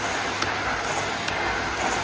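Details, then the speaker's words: Miele S312i vacuum cleaner, nearly 30 years old, after refurbishment, carbon brushes with plenty of life left: steady, even air rush with a smooth high motor tone and no rattles or surging; healthy, pulling strong. "These are You can't really believe this is 30 years old cuz it's so powerful as well."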